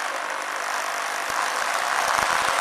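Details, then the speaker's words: Magneto ignition test rig with a spark plug in the lead: fast, even buzzing run at one steady speed with no stumbles or skipped beats. The ignition is firing regularly and healthily. "so we're going to run up the motor with a spark plug in the lead, so it's going to be sparking at a regular spark and running at a regular speed."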